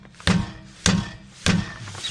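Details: Rear wheel knock heard while rocking the wheel, brakes applied to rule out calipers: three solid dull thuds about every 0.6 s; cause was a blown-out bushing on the front lateral arm at the hub; struts recently replaced; worn suspension bushing knock.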